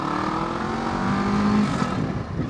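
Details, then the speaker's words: Kawasaki ER6f Ninja 650R riding and accelerating: loud, raw exhaust noise with the silencer rattling where the cracked down pipe has come away from the silencer, leaking exhaust; less power; down pipes and silencer due for replacement. "just loads of noise. You can hear the silencer rattling as well. You hear that where it's come away."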